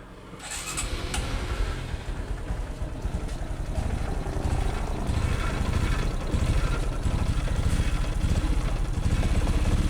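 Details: Honda XRM125 motorcycle run with dried-up engine oil: loud, harsh rapid metallic knock under a rough scraping drone from metal-to-metal piston and liner friction; engine block and piston replacement recommended.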